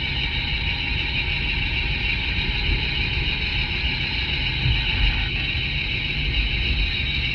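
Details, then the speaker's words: Mercedes W163 ML driving at 40 km/h, heard through a clamp-on listening device on the front differential: steady rough droning growl, like a wheel bearing, traced to the front differential; differential carrier being replaced. "The noise that I'm hearing going down the road that sounds like a front wheel bearing is coming from the front differential."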